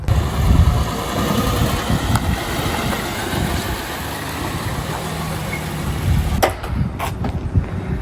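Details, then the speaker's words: Acura RSX Type-S with the K20Z1 at idle: a light tinny rattle up front from an exhaust leak, which the owner believes is a missing donut gasket between the headers and the cat. "Rattling you guys are hearing up front right now, that's just an exhaust leak. I believe the donut gasket is missing between the headers and the cat"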